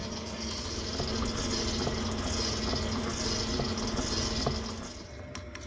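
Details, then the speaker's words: 1962 South Bend 7-inch shaper, first run after motor refitted before restoration: soft even whir with light swishing tick about three or four a second from the oil pump, then gentle run-down; runs quiet and smooth. "Well, here's the first run of the South Bend shaper down in the basement. It's quiet, real quiet, runs smooth."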